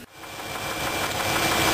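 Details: V8 engine running with valve cover off, plug wires pulled one at a time and valves adjusted to isolate the knocking cylinder: steady dull knock; not the lifter, traced to a bad rod bearing on passenger-side cylinder two.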